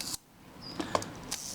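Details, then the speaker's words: Mamiya Family SLR camera after shutter service and cleaning, shutter speed cam ring rotating freely, release tripped on bench: a few crisp, clean mechanical clicks in quick succession with no drag or hesitation; normal shutter operation. "That's quite good. That sounds fine to me."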